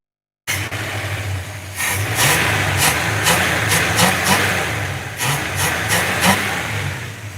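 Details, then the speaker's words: Classic V8 car heard from under the hood. Quick throttle blips rise cleanly and drop straight back to a steady idle; very responsive and healthy-sounding. The engine is simple, with an alternator, an easy-to-reach fuel pump and only two belts. "very responsive man very responsive she sounds good she sounds good"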